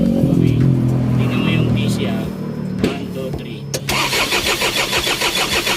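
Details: Isuzu 4HG1 diesel with defective supply pump module: starter turns it over at about three even pulses a second but it never fires; crank, no start from failed pump module.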